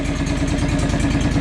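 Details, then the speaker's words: John Deere 445 riding mower, started after adding 1.5 quarts of engine oil: small engine firing at a fast, even idle with steady regular pulses, no knocks or misses; sounds pretty good. "all right got the oil added see how she fires up that sounds pretty good"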